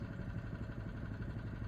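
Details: Honda engine on a John Deere reel mower, started on choke after a wing nut was removed from the starter. Steady, even low putter with no misses or knocks; a smooth, healthy idle before it shuts off.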